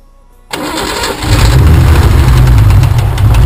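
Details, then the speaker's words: BMW engine on LPG, just started after valve clearance adjustment and rocker work failed to cure it: lumpy idle with dull, fairly regular knock about four per second; which cylinder knocks is not yet determined. "какой-то цилиндр стучит в прошлом видео мы завели стук не поменялся"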